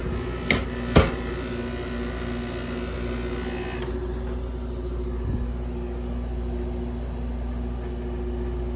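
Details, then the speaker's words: Grandmother's air conditioner with a Matsushita rotary compressor at its first seasonal startup after cleaning, heard from outside. Two sharp clunks and a rattle at start, typical of this Matsushita, then a steady low hum. Compressor startup rattle. "And there we go. As the Matsushita does, it rattles. Alright, she's running."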